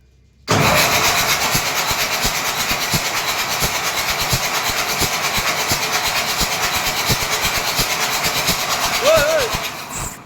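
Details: Boat diesel engine with oil and water mixed: a steady, uneven pulsing chug for about ten seconds that never catches into a clean run. Hard start, cranks but does not start; cause uncertain.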